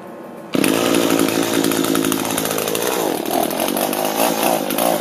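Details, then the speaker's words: Echo gas string trimmer running: a steady high buzz with a loose metallic rattle from the bottom of the shaft while the head doesn't turn; drive shaft not engaging. "so it's definitely down here in the shaft that thing sounds like it's just rattling around in there that little uh drive shaft"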